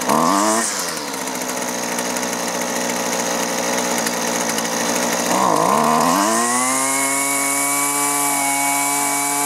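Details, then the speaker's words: Husqvarna 128LD trimmer with rotten fuel lines and fuel filter replaced, running around the low- and high-side carburetor adjustment; it blips, then settles into a clean, steady high rev with no bogging or surging, and carburetion sounds right. "all right beautiful and it's not running that bad but i'm gonna go ahead and take our carburetor adjustment tool adjust the low side first and then the high side"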